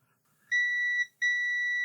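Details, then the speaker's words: Lloytron Bluetooth AM/FM radio that only runs on mains power, multimeter in continuity mode across a board component: two clear high-pitched beeps, the second held, showing a short. "Yes, we do. There's a short on that one."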